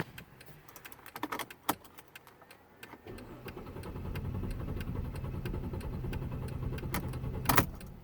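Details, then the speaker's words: Mercedes C300 4MATIC stalled on road test after tyres, brakes and service: starter cranks in a steady even churn, fuel pump heard running, but engine never catches; crank no start, cause unknown. "Now it cranks and won't start. I can hear the fuel pump run. It cranks good."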